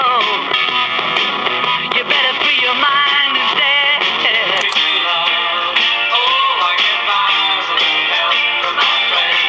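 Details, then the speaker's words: Vintage Cariole portable 8-track player/radio playing a tape: music pitched up, near "Mickey Mouse" speed, with a slight waver; tape speed too fast with wow and flutter. "all right so as you can hear it's borderline on Mickey Mouse speed so"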